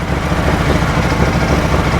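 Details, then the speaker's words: 2012 Bennche Spire 800 UTV, started after priming the fuel system: steady low idle with a faint unevenness in the beat; slight misfire, dash also wrongly showing neutral and reverse. "all right turn the key fires up so that's a plus sounds like it might have a little bit of a miss but it starts that's that's a huge plus right there so we know it starts now"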